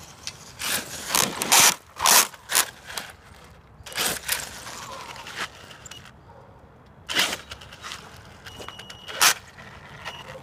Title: Axial Yeti Grinding Sound